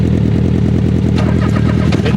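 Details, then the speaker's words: Off-road vehicle with a brand-new clutch, after an oil spray from an incompletely fitted clutch cap, now in second gear and seeming to miss a gear: loud, rapid, even clacking over a rough engine note; transmission or flywheel suspected; clacking noise. "I think I blew the transmission up like you think second I'm in a second now and it's grabbing something's making a lot of clacking"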